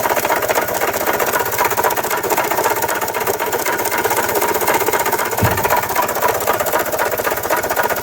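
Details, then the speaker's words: 1993 Toyota Tercel on a lift, first start during its revival, heard at the engine: a heavy, steady knock at about four per second over a rough idle that won't accelerate. The owner suspects rod knock; the cause is unconfirmed. "yeah something is definitely wrong there that's a lot of knocking and uh it won't accelerate at all and uh that's a whole lot of knocking it sounds like a rod knock honestly"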